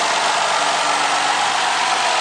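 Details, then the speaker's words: 2010 Ford Fusion 3.0L V6 after spark plug change and intake manifold refit, test run with air conditioning on, no engine lights: steady, even hum with no misses, ticks or hiss surges; normal idle. "thing's ready to go. Doing a quick test run. Air conditioning's nice and cold. Engine's really smooth."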